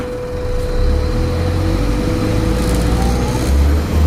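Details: Stagecoach Cumbria Optare Solo bus 47020 (PO51 WLK) in service between Whitehaven and Workington, May 2015, while driving: a steady mid-pitched hum holds its pitch over the deep diesel drone; a loud humming noise.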